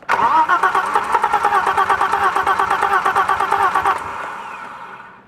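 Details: BMW M20 engine during fuel pressure diagnosis: starter spins the engine at an even, steady beat for about four seconds but it never fires; cranks, won't start.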